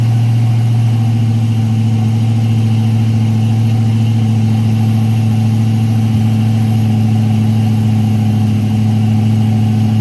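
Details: Freshly built Chevy 350 V8 during break-in, oil pressure around 46 psi: loud, steady fast idle with an even low drone, no ticks or knocks throughout; normal fast idle.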